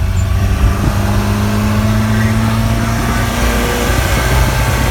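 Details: Car coasting in neutral at 50 mph and above: low droning hum with a steady tone that slowly falls as the car slows, from the driveline; owner says it is not the throwout bearing, cause unknown.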